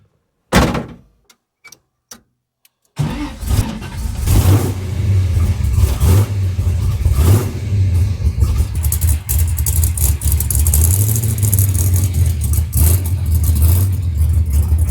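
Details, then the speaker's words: 1979 Camaro big block Chevy V8, long unused, started on a sip of two-stroke fuel after the starter solenoid contacts were cleaned. A few clicks, then it catches and rumbles, rising and falling with throttle blips. It runs strong and even. "I absolutely love that sound."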